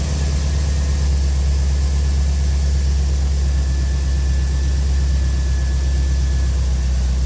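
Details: 1985 Corvette C4 that started then died from low fuel pressure (~10 psi), after fuel pump harness repair: deep, steady idle, even pulse, no misses, knocks or hunting; about 30 psi fuel pressure, healthy.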